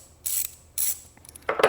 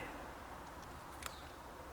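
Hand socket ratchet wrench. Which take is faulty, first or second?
first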